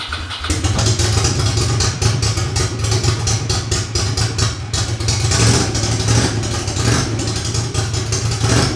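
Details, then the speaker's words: Ducati Monster 750 V-twin carbureted, after full engine removal and rebuild to cure a clatter: starts within half a second and runs loud, even and deep with no knock, no carburetor sync needed. "Elle tourne bien. Même pas besoin de synchroniser les carburus. Et elle tourne bien rond et démarre au quart de tour."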